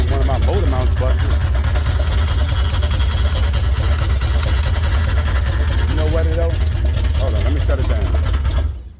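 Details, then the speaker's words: Chevy 454 swapped into a 1971/72 Pontiac LeMans, first start on open headers: lumpy, stumbling rough running, missing on some cylinders. Owner suspects plug wires 1 and 2 were crossed during header work; smoke is possibly fresh header paint burning off. "But y'all know what I think it is? I think I crossed some of my wires up when I was pulling the wires on and off and the headers on and off."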